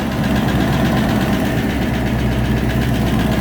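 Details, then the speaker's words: 1994 Range Rover Classic V8, cold start idle: steady low rumble with faint fast ticking; owner suspects cam or hydraulic tappets, oil pressure light off, exhaust blow also noted; unconfirmed. "cold still. Got a big problem with cam or hydraulic tappets."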